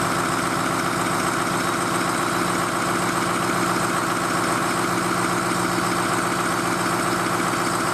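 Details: Diesel truck idling after hot no-start repair, started with ether on weak 7-year-old batteries, first run in a year; steady clatter about four even beats a second, no misses or knocks; running cleanly, to be checked for leaks.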